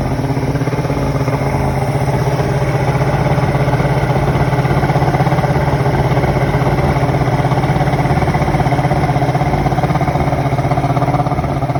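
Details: 1993 Evinrude 150 Ocean Pro two-stroke outboard at idle after fixing major carburetor gas leak with new gaskets, now dry: steady even burble, regular beat about four per second, no misses or knocks; healthy.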